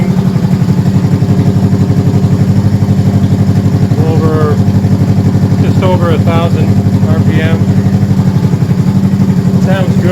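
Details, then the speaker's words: 1971 Honda CB350 twin, first start after full top-end rebuild with oil flow fixed, avgas/low-lead mix, likely needs rejetting: loud, steady idle near 1,000 rpm, even beat on both cylinders; normal idle. "Sounds good, it's loud, firing on both cylinders. That sounds really, really good."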